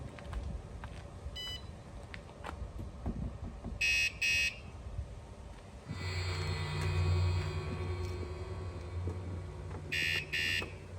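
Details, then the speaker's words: Vandefend alarm newly installed in a hybrid Ford Transit van conversion, sensing door opening, vibration or weight on panels: two shrill chirps, steady siren, two more chirps as it arms and triggers during testing. "this alarm system operates by detecting attempts to open the doors or apply weight to the panels of the van where the alarm is installed it uses Advanced sensors to sense unusual vibrations or movements triggering a loud alarm sound"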